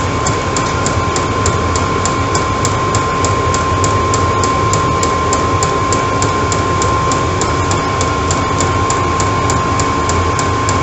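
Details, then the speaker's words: Chinese 12V eBay diesel heater in an off-grid garage, run off a 12-volt battery, hot and self-regulating: steady even roar, fine constant whine and soft regular fuel-pump ticking; running normally. "and once it's hot that's all it does ropes it all out itself and just runs itself that's it all off a 12 volt battery"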